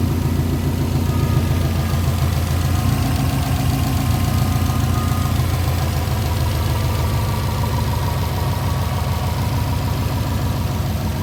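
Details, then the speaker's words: 2007 Subaru STI with the hood open, reported to have no blow-by and no overheating; a steady, low, even boxer idle with a smooth rumble and no knocking or ticking, the engine quiet and healthy. "The motor's pretty quiet. AC works as it should."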